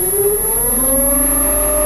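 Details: Newport NK180 kayak trolling motor, run out of water without prop to remove resistance and water noise: siren-like whine climbing in pitch as speed rises; loud motor fault, cause unknown, warranty claim.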